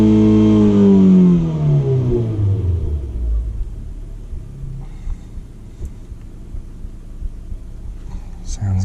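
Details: Mazda 2 with a freshly installed CorkSport short ram intake, after a cold start: quick rev that falls back smoothly to a calm idle with no knocks or rattles; engine sounds healthy.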